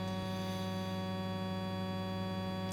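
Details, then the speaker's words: Bose Solo TV soundbar with no audio playing after a brief music burst: steady, even low buzz drone from both speakers, estimated 100–200+ Hz; constant buzz fault, cause unclear. "I had a little burst of music, and now we've got a fart coming out of it, like a constant, not 100 Hertz, is it? It's more than 100 Hertz."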